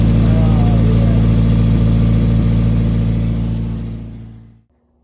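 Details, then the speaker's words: 1991 Nissan 240SX at first startup after ISR headers installed, header clearanced by hammering, exhaust hanger off: loud raw idle with a fast even puffing tick over the exhaust note, then shutdown; still very loud, leak seen near the header, cause suspected. "Still very loud. Leaking from right there."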